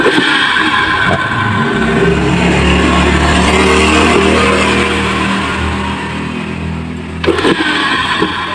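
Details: Yamaha Mio J scooter CVT after replacing the rear pulley bearings, previously grinding; steady drive whir with a slight dip near the end and no coarse grinding, now running noticeably smoother.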